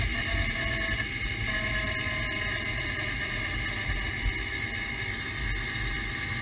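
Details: Mercedes E500 4Matic under way near 25 mph, heard through a chassis-ear microphone on the rear axle while lifting off the throttle: steady thin whine over road rumble; the rear differential is identified as the source of the deceleration whine.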